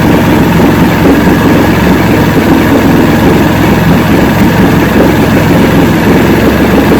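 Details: About 50-year-old 1970 Evinrude 85 hp outboard, hydroelectric shift, new water pump impeller, run in water container, in neutral: low even idle with constant drone, no stumbling or hunting; normal idle, carburetors good at idle.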